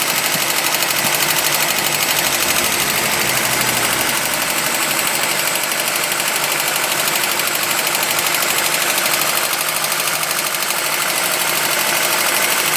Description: Golf mk1 rattle sound on further investigation I looked at the water pump pulley and saw it wobbling and it was banging against the pulley cover, so I still have to fix it.